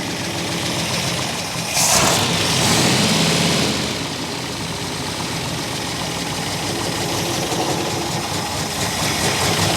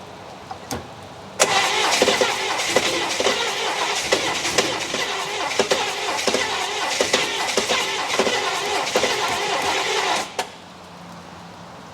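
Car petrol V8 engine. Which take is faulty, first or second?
first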